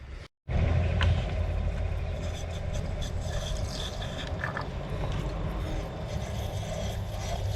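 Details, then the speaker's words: 1988 Honda Goldwing GL1500 flat-six, 32,656 miles, sat 21 years in a barn with a rusted tank and mouse nests: short cranking, then catches with a rough uneven beat for a few seconds and dies. Cause unconfirmed; falling-apart connectors and open hoses found afterward. "Oh! Was. It cranked up for a second there."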